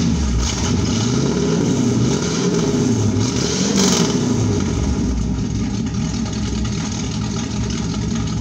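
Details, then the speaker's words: 1972 Pontiac Firebird Trans Am V8, muffler blown apart after engine loaded up with gas, still cold, no choke so throttle feathered: loud, raw unmuffled roar with blips; blown muffler. "I'm going to let you hear what this sounds like with the muffler blown out now put it up in the air and I'll uh show you what the muffler looks like maybe it sounds like a race car to some people"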